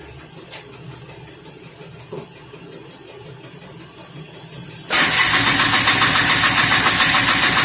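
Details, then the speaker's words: 1988 Polaris Trail Boss 250 R/ES, cold start after long storage on gas with added 2-stroke oil: quiet at first, then catches around five seconds in and settles into a fast, even buzzing run. "Alright, guys. Still let it run. Get her in, get her to run. It's been a long time."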